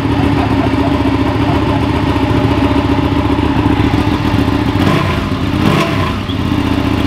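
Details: Ducati Panigale twin with newly installed clear clutch cover, fairings refitted: steady fast idle with some mechanical clatter and a couple of short revs near the end; normal running, sounds about the same as before.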